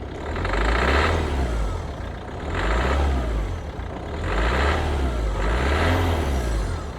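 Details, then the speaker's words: Ford Focus diesel at idle: faint knock-like sound under an idle that swells and sags every couple of seconds, rough running with heavy diesel smell; cylinder 4 injector starved of fuel because a cracked return-pipe ring lets diesel leak out. "don't know how how well you can hear that on the video but it almost sounds a bit like knocky um so I don't know if you've ever heard of what an engine knocks like when uh Pistons are going or whatever can very very much sound like that"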